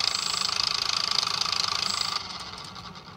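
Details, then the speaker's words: UMX J-3 Cub RC plane straight out of the box, fresh battery: a high buzzing whine that pulses unevenly, throttle cuts, then the motor spins slowly and backwards with a burning smell and a warm battery. Bad motor or ESC suspected. Motor running slow and rough. "Sounds like crap. But here we go. Oh. Throttle cut. Oh, now it's actually spinning. Not very fast,"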